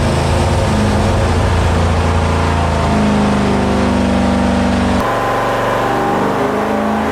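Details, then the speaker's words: 1972 Dodge police car 440 big-block V8 on dyno, warm-up: deep, even rumble climbing cleanly with each throttle blip and settling back smoothly; healthy. "Sounds like a 440, doesn't it?"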